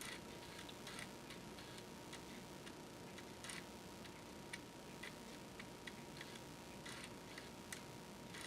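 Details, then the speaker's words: Amiga 1200 floppy drive after head cleaning and board repair, booting Workbench 2.1: quiet irregular light ticks of the head stepping over a faint steady spin hum; smooth, healthy seek, though the shaft still needs regreasing. "the disc is spinning listen it's nice and quiet of course you can still hear it"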